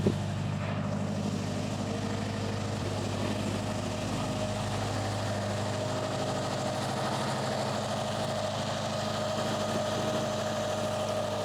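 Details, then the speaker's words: Wrecked 2005 Subaru WRX STI, first start after the crash to check for jumped timing, out of gear, no coolant: steady, even idle, smooth low burble, no knocks or misses; engine healthy, though the cam gear appears to wobble. "I don't want to run it too long obviously cuz there's no coolant or anything like that but so far so good it looks healthy that's good"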